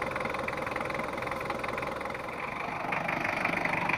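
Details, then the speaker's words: Ford Ranger 2.5 double-cab diesel after redoing a previous engine overhaul with compression leak, oil seepage and power drop: even idle with regular light clatter, no irregular knocks or hunting; engine now sounds normal with no leaks. "ah ya Lur untuk for rangernya udah engak ada rembesan dan suaranya Udah kembali normal"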